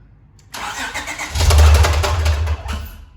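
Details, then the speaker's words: 2012 Acura TL 3.7L J-series V6 with catback exhaust, high-flow cats and Ktuner, crank position sensor circuit code: cranks and catches about a second, running rough with heavy rhythmic knocking before dying; rod knock, engine later replaced. "the motor's rattling really bad and he has a a crank position sensor circuit code so I mean we're praying that it's the sensor or something but it's uh it doesn't sound like it"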